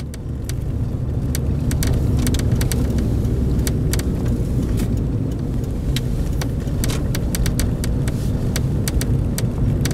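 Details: Toyota Corolla XRS cabin while driving: irregular light ticks from the rear plastic deck by the rear window over road rumble, appearing after sitting in the sun and fading at night or in the cold; cause unconfirmed.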